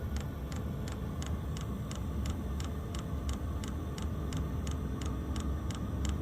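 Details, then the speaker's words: Wippro diesel heater after fitting the fuel pump from a second unit to fix E8/E10 codes. It primes with air bubbles in the line; crisp, even ticks of almost three a second over a low hum show the pump is feeding fuel normally, and hot air follows. "so E8 E10 is no fuel and when you don't hear the clicking you don't get got a fuel pump anymore pretty self-explanatory"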